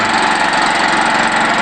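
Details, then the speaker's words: New engine on a wood-gas generator, mixture made richer, powering a 500 W light but limited to about 500-600 W. Loud, rough, steady running with a raspy hiss. Cylinder head leaks on the inlet and outlet sides suck air and blow exhaust, explaining the hard starting. "it's making a hell of a lot of noise it turns out that there are leaks around the cylinder head in the inlet and Outlet side of things so the engine is sucking air and blowing exhaust in places where it shouldn't"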